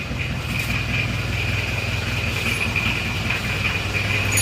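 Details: Isuzu Panther Miyabi diesel after engine rebuild, glow plugs not working so it was hard to start: even idle clatter about 2.5 beats per second with a high ringing tone; still smoking while cold, normal cold idle.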